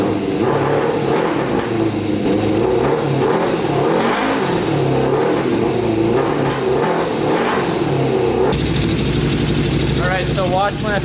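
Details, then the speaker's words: Custom Yamaha Banshee with Suzuki Katana 600cc engine swap on pod filters: revs cleanly, then note turns flat and choppy as a hand covers the carburetor; not enough air makes the mixture too rich, so it bogs. "my hand over the carburetor so see how bogs out that's from running too rich so my hands over the carburetor and uh it's not getting enough air obviously the mixture becomes more rich and doesn't run properly"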